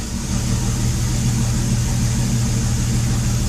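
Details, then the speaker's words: 1981–1986 AMC/Jeep 258 (4.2L) inline six just restarted after valve cover swap to aluminum: low, uneven idle with a faint steady hiss; vacuum leak suspected, though owner also attributes roughness to a very heavy cam. "oh vacuum leak I can hear it what the hell of a vacuum leak"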